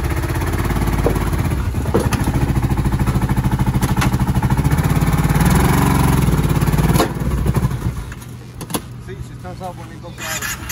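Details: 2010 Kawasaki Brute Force 750 ATV at idle: lumpy, uneven thumping about three to four beats a second with missing pulses; one cylinder not firing.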